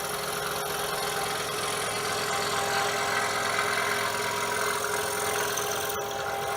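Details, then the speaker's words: Repaired DeWalt scroll saw at setting 5, about 1171 strokes per minute, cutting with a No. 2 crown tooth blade: light, even buzz, no knock after fastening with blue Loctite; runs smooth. "It's nice and quiet. We no longer have the knocking noise."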